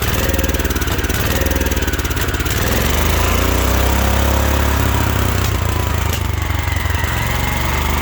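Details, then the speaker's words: 1972 Wheel Horse Raider 12 lawn tractor, stored 15 years in a shed, running on its fuel pump: single-cylinder climbs to hard uneven high revs with sharp pops; owner suspects dirty points for backfiring and a governor not working for over-revving. "I don't know what the backfiring is about. Maybe the points are still dirty a little bit. Things run pretty good, but I don't think the governor's working like it should. So this revving up way too much."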